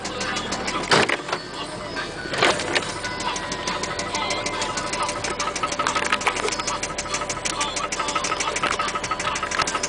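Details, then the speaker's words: Toyota Cressida with 1JZ engine, low on fuel, driven at full throttle without reaching boost: a rapid, hard metallic rod knock beats steadily through the engine. "um knocks real bad uh as you can see this is about as fast as uh as hard as you push on the gas it doesn't really hit boost but it dries and it knocks"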